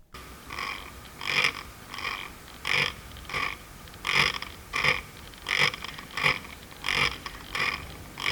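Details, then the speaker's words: Noisy Viltrox 33mm lens on a Sony camera, continuous autofocus: short buzzy whirs repeat about every 0.7 seconds, engine-like, as the camera constantly tells the lens to check focus; a normal, busy autofocus motor. "This sounds like an engine. This sounds like 500 Hz. Sounds like the camera is constantly telling the lens to check focus."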